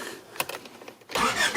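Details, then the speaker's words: 1993 Honda Civic with an intermittent stall and no-start, its PGM-FI main relay already replaced; the starter spins the engine steadily but it never catches, because the ECM gives no control signal on fuel relay wire number 4; ECM failure. "So again, I'm calling this an ECM problem because there's no control, there's no power that controlling this wire number 4."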